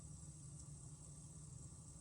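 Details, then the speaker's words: Plugged-in thermal imaging car camera while driving: faint steady high hiss over road rumble. The unit also blanks out intermittently. Electronic hissing, cleared by unplugging and rebooting, cause unknown. "Can you hear it on the microphone? It's like a hissing sound."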